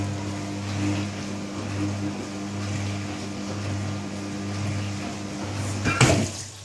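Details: New Candy Trio 9501/1X running loudly: a steady low hum swelling and fading every second or so with droning resonance over it; loud, booming humming resonance.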